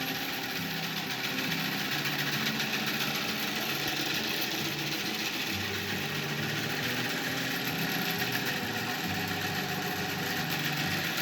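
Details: Antique wooden bandsaw bought at auction, first run without prior testing; loud, rough, uneven clatter with a steady whirring hiss; something loose or worn, cause unclear.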